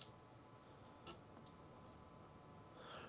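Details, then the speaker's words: Xbox 360 Jasper disc drive, test disc inserted: faint, sparse ticks about a second apart as the laser seeks focus; laser responding, drive likely working. "just going to get my little shaved down test disc and we'll see if the laser responds to it yes I can hear it's trying to focus on it"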